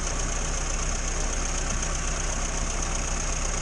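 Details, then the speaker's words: 1962 Morris Minor with suspected ignition fault, after distributor cap cleaned and wiring moved: steady, even idle with low rumble, no stumbles or misfire; smooth idle. "There's been no misfiring. I've moved everything round and cleaned the distributor cap,"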